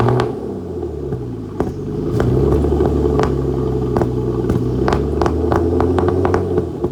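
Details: Flood-damaged Aston Martin DB9 after start with lots of smoke: uneven low idle broken by sharp irregular pops and cracks several times a second; misfire.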